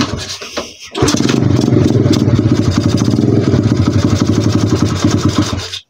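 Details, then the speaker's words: 125 cc pit bike single-cylinder catches and runs only on held hand throttle, beat uneven and sagging, then dies; won't hold idle even after a half-turn right adjustment. Owner unsure of cause. "Vidíš to? On má tendenci prostě chcípat."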